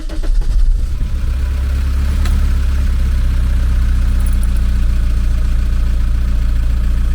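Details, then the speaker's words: VW T3 camper with AHU TDI diesel, first start after swapping the blown turbo for a used unit. Oil pressure was slow to build on crank and it had sat for months. Steady low rumble at idle, no knocks or whistles, slight exhaust smoke: normal idle. "we have all the pressure all right that sounded good everything's looking all right here"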